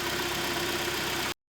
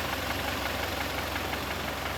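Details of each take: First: Kia Sorento G4KE on LPG, checked for a suspected piston knock and high oil consumption: a short stretch of even, quiet idle with a steady hum and no knocking, even cold; it idles cleanly. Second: Kia Sorento G4KE engine with high oil consumption: steady idle with a light regular knock about three per second from one cylinder; piston slap from piston deposits and minor scuffing.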